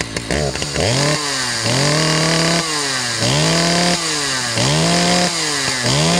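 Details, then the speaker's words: Husqvarna 2100 CD two-stroke chainsaw revved repeatedly, pitch climbing and dropping, a little blubbery at the top. Idle set high so the chain keeps moving at idle, and it runs a little rich when revved out. "so she's idling a little bit high which is why the chain continues to move while the saws at idle also runs a little bit rich you could hear it when I wrapped it out"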